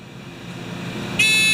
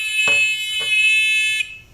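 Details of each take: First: Discovery metal detector pinpointer, reassembled: faint rising hiss then one steady high beep, thin and boxed in, sound trapped inside the closed housing; fix planned by drilling holes in the shell. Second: Discovery metal detector pinpointer, originally too quiet, after disassembly: loud steady high-pitched buzz about 1.5 seconds, clean and strong; buzzer working properly.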